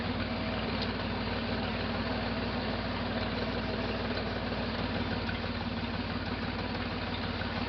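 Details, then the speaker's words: 1968 Jeepster Commando with Buick V6, idling: uneven loping beat with a regular skip from the rear cylinder misfiring; spark appeared present at the plug wire, and mechanical damage is suspected. "It definitely still has a misfire. But it also sounds like there's some kind of mechanical damage going on."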